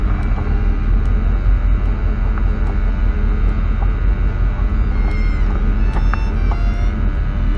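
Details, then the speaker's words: 1965 Ford Thunderbird Landau V8, revived after sitting, oil drained and refilled; deep steady even rumble with no knocks or misses over about eight seconds before first drive: normal running. "that sounds pretty good overall truthfully i think we're gonna get this down the road now"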